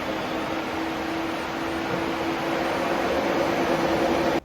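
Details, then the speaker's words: Tesla brought in for a random pump-like noise, frunk open during a thermal test: steady, even whir with a faint constant hum near 300 Hz and no rattles or scraping, the radiator fan running smoothly. "And so let's get in there and do that now. Radiator fan sound good."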